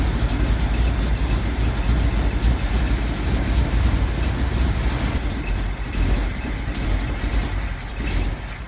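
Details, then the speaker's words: 1969 Ford F100 after a carburetor rebuild. A heavy low rumble with an uneven, lumpy beat. Running rough; owner suspects the check ball, possibly the needle and seat since the float bowl was empty. "well something doesn't sound right it's got to be that ball I think"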